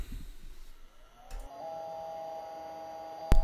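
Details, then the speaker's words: 1988 Compaq DeskPro 386s with Conner type 43 40MB hard drive at power-on: steady high whine with no seek clicks; drive not spinning up and not detected by the computer, cause unconfirmed. "can hear that it's not really actually starting up as it should be it doesn't perform a seek it's just this you know repetitive tone that you hear indicating that something is definitely up here"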